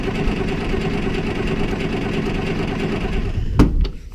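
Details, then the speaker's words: John Deere Model A tractor, diesel-smelling fuel, in cold weather, just started: low even clatter holding a steady beat, then one thump as it settles; runs smoothly. "let's try it again there we go well success it is finally running"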